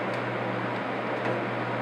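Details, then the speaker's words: Honeywell HCM-6009 humidifier fan at lowest speed: steady low electrical hum under airflow, not from fan imbalance but motor frequency vibrating the housing; louder with reservoir fitted, disappears when motor is off while fan coasts. "which I found out is not from actually defendants unbalanced but from the frequency in the motor so the motor itself is humming"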